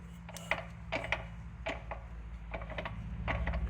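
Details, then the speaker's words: Replacement manual transmission on the bench, shaft rolled by hand in gear; soft gear-mesh ticking with zero play and no knock, quiet and tight, unlike the removed unit's bearing groan and shaft play. "You can hear the gears, but it's cuz it's in gear. There's zero play and it's nice and quiet."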